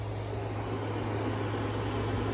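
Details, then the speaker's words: Anker Powerhouse 767 after an app firmware update, running a 5,000 BTU air conditioner it previously struggled to run: a steady low hum with no rattles, surges or cycling, the compressor and fan running smoothly. "so now it's up and running problem fixed simple uh update through the app no more problems"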